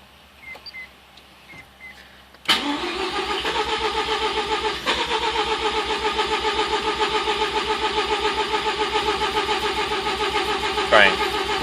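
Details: 1987 RX7 rotary with rebuilt engine and MegaSquirt 2 V3, timing being set, starter spins evenly about 87 a minute for nine seconds but never fires; fuel smelled, owner wonders if flooded. Cause suspected, not confirmed.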